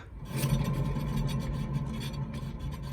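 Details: 2006–2011 eighth-generation Honda Civic: a low, rough droning groan from the rear that holds steady as the wheel turns, not brake rubbing; the rear wheel bearing had come apart and the hub assembly was replaced.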